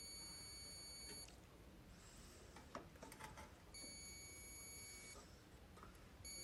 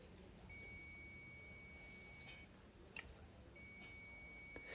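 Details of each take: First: Whirlpool microwave not heating, magnetron suspected: clear high steady meter beeps in two long pulses about a second apart during diode test; per the repairer, a beep from the capacitor end to ground means a bad diode. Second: Whirlpool microwave not heating: multimeter continuity test between magnetron terminal and body beeps twice, showing the magnetron is shorted to ground and must be replaced.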